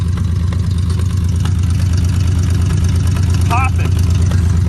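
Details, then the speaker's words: 1967 C60 truck on a 1967 C30 frame, after cooling system work: uneven idle with irregular exhaust pops as one side misfires, and there is also an exhaust leak. "got a misfire happening though which is a little odd listen to this see that right there it's flopping"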